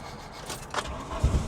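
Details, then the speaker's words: VW Cabriolet abandoned over ten years, cranking with fuel gauge showing empty: uneven low thumps as engine starts to catch, firing irregularly and stumbling; fuel pump, at first silent, began whining and working. "it it's trying to run hold on hold on I don't want other people to know this guys this thing's trying to run"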